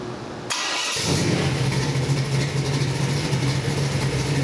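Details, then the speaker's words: Oldsmobile 455 V8 crate engine for a '72 442, about 500 hp, Edelbrock aluminum heads, mechanical roller cam, Holley carb, MSD distributor, forged rotating assembly, first run-in: quick start into strong steady lumpy idle, quiet valvetrain, healthy. "show you what it sounds like before we get the March kit on here let's fire this baby up we got about 500 horsepower"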